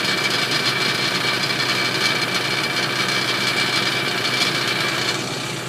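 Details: 2007 Ford Expedition petrol engine idling around 1000 rpm with AC on: busy, hissy metallic rattle, loudest in the upper range, from the driver's side front of the engine bay near the tire; disappears when throttle is applied.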